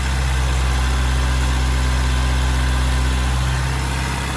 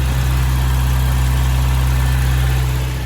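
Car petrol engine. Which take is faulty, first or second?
first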